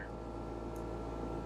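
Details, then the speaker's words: Dometic Penguin RV rooftop air conditioner running: steady low droning hum with an even buzz as the unit vibrates against the roof on loose mounting bolts; the fix is tightening the bolts with a 3/8 nut driver. "it's a vibration or a humming which is actually very easy to fix with certain tools"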